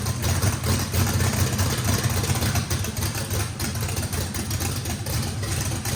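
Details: First start of a race V8 with a radical camshaft, likely big overlap and lobe separation, throttle blade about six percent open to idle: deep uneven lope, about four lumps a second, strong and steady with no misses; normal lopey idle.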